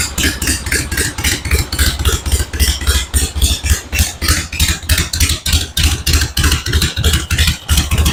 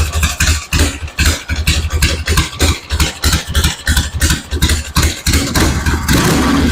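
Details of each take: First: 1974 Harley-Davidson Ironhead XLH Sportster chopper after the ignition points plate and timing were adjusted: steady loping V-twin idle, about three and a half even beats a second, no misses; much smoother than before. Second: 1974 Harley-Davidson Ironhead Sportster chopper on battery charger: lumpy idle of uneven pops about three a second with beats dropping out; owner suspects the ignition is cutting out, fuel seems present.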